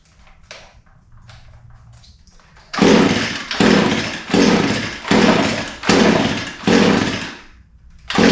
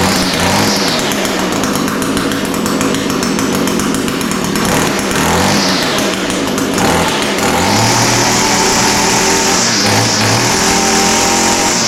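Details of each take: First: Echo SRM 225 line trimmer with fuel in the tank, primer pumped, choke on and switch on: about six sharp pulls, roughly one a second, fade out without catching. It smells flooded. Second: Echo SRM 225 two-stroke line trimmer after the recoil starter was fixed and the coil replaced: a sharp buzz climbs and falls as the throttle is worked, then holds steady revs. It now starts and runs properly.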